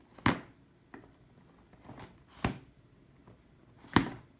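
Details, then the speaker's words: Packaged, sealed, unopened Sony FDR-AX53 camcorder shaken in its box: a few sharp, uneven thuds like something solid sliding loose inside; a loose part rattling. "this is frightening you see the sound this is not typical of high quality original packaging such as Sony this sh this noise and the moving things inside"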